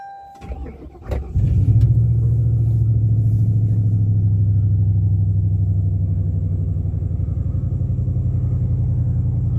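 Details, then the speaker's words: 2000 Mercury Grand Marquis cold start at 29°F, owner suspecting a temperature sensor causing limp-mode misfire and a flashing gauge: brief crank, then a steady, even, smooth idle; sounds normal so far. "Sounds normal so far but of course it sure it'll take a second."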